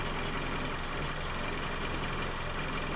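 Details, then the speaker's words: 2018 Toyota Camry, 115,000 miles, oil changed from 0W-20 to 5W-30. Smooth, even, quiet hum at steady idle with no ticking or knocking. Normal idle. "It's a 2018 Camry, and I changed the oil viscosity to 530. Odyssey battery, made in the USA. Just sounds good, quiet."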